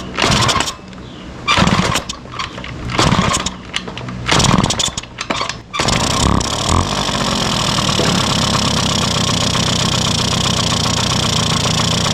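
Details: 1971 Yamaha Mini Enduro two-stroke, first start in decades, after carburetor cleaning: several short cranking bursts, then it catches and settles into a steady, even buzzing run. Normal running.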